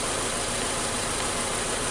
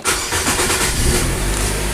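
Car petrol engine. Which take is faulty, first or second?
first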